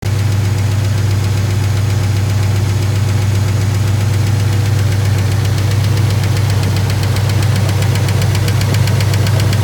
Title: 1955 Packard Lifter Tick After Lifter Replacement